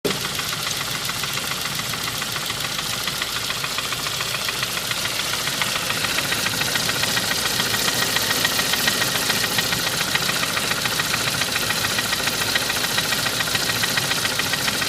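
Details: 2001 Saab 9-5 idling with a steady, sharp tapping knock about three to four beats a second; main and rod bearings replaced without change and lifters unstuck; owner suspects rod knock, lifters, pulleys or timing, unconfirmed.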